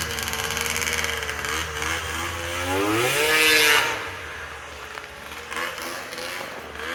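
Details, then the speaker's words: Polaris triple-cylinder two-stroke modified snowmobile ("Wet Basement") after full rebuild, skid reinstalled, fired up in driveway: crisp idle with one quick clean rev climbing and dropping back smoothly, no stumble or rattle; normal running, healthy. "I forgot how gorgeous and beautiful this sled sounds. Oh my goodness, a hair stood up on my back. Unbelievable."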